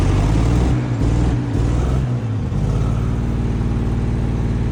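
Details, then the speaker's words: Abandoned 1951 Dodge six-cylinder, first run after sitting, with a new fuel pump and battery: rough catch for two seconds, then it settles into a steady, even, low-pitched idle. Finding: normal idle. "Will it idle? Oh my god, it idles. Oh my god, shit's idling. It's fucking sitting here running."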